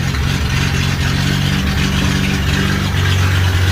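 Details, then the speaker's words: 1963 Rambler engine on its first longer run after radiator install, fed by a temporary fuel hose with no temperature gauge: steady low idle with a slightly uneven loping beat and no knocks; owner thinks it needs a tune-up. Rough idle. "overall the motor doesn't sound too bad so i'm pretty happy with that because this is obviously the longest i've got to hear it run [Music] definitely sounds like you could use a tune-up but uh hey i'll take it"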